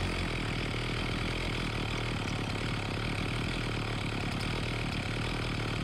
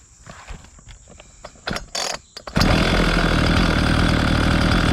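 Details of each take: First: Homelite 4218C chainsaw on fresh fuel after its carburetor was tightened and its previously tampered screws were reset: a steady two-stroke buzz for about seven seconds, then it cuts out abruptly as the low-speed mixture screw is turned in, shutting off fuel. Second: Homelite 4218C chainsaw: a few pulls, then catches and settles into a fast, even two-stroke idle; running properly.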